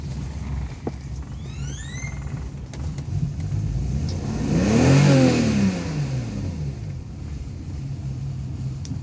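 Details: 1998 BMW 528i automatic with ABS and ASC lights on that won't shift gears: the engine catches and revs briefly, then sags rough and uneven and won't stay running without throttle; cause unknown.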